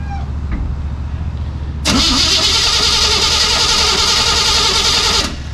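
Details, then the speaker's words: 1973 Chevy K5 Blazer started cold in neutral with the clutch out; it catches, then a loud harsh grinding rattle sits over the idle for about three seconds; something in the drivetrain, clutch or fork suspected, transmission must come out. "I don't know what that is. It's something in the drivetrain."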